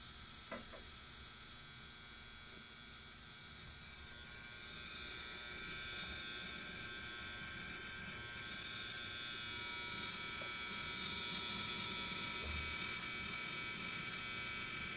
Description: Help!!!! I have bought a new Dell Desktop XPS 8920 and the hard drive sounds very noisy randomly for a short period of time and then goes off.